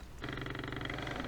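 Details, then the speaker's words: Sony Dream Machine ICF10W solid-state radio, plugged in after sitting unplugged a few hours, transistors already checked: steady low buzz with a rough pulsing hum under the station; the fault was later traced to a cold solder joint. "now I'm going to plug it in to see if it's working or not or it's still making those buzzing"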